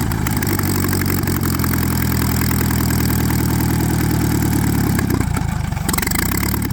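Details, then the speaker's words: Antique Saxon motor car engine at idle after about 30 minutes running on restoration: rapid mechanical chatter from behind the timing cover at the front; owner thinks it sounds like gears, source unconfirmed, probably to be taken apart later. "I do hear a little bit noise behind the timing cover I do hear a little bit of noise behind the timing cover not sure if the camera picks it up sounds like"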